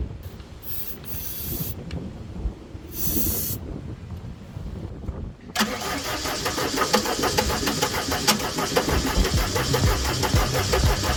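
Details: Gehl 4640 skid steer with Deutz diesel: starter churns with a steady, even chug but the engine never catches; crank no start traced to the fuel shut-off solenoid not pulling in.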